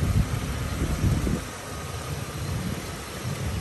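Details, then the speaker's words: 1986 Oldsmobile Cutlass Supreme engine idling: low, steady, even idle with no misses, knocks or ticks; normal smooth idle. "hear the nice smooth idle this car really sounds great"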